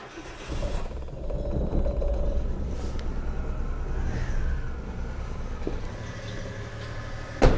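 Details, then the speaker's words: Engine just jump-started with a flat battery, giving off a catalytic converter stink: a low, uneven rumble that surges and sags instead of holding steady. Owner suspects a fault in the idle control valve. "idols still as rubbish as it was some problem going on in here I think in the ICV idle control valve"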